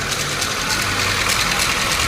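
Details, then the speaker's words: 2013 Hyundai Accent petrol engine, misfiring and hard starting with oil light on, idling with a harsh hissy clatter over an uneven rumble; mechanic says the timing chain is loose. "so wala sa t maluwag na kuya no maluwag na yung timing Chin so sabi ni kuya Mechanic"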